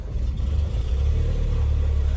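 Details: 2001 Peugeot 406 automatic at about 500 km into a trip, fuel at a quarter: a steady, even low rumble settles into a smooth idle with no knocks, misses or squeals, and the trip had no problems. Normal idle.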